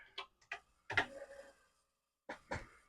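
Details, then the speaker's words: Commodore PET 4040 IEEE dual floppy drive powered on after a suspect 6502 chip was swapped in: a few sharp clicks and a short seek rattle, then quiet. The drive mechanisms sound normal, with nothing weird going on. "we'll push it in and we'll turn it on and the drives makes good sounds"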